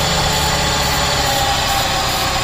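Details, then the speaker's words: Wrecked supercharged Mercedes AMG, not started in a long time, started with spray into the intake: steady, even idle and full exhaust roar with no tapping or knocking; the engine is not blown up. "But I just wanted you to hear that it's not blown up."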